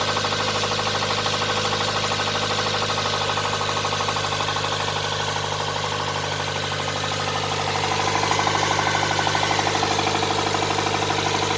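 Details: Nissan R'nessa engine with heavy, steady knocking at about three per second over idle, louder as revs rise, smoke seen from near a hose; spun bearings, rod knock, engine fit for scrap.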